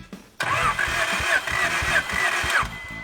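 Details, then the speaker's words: 1987 Acura Integra, after replacing the faulty ignition control module: starter churns in even pulses, about four a second for two seconds, never catching; spark confirmed but no fuel, crank no start. "Alright, we got spark, but we don't have fuel."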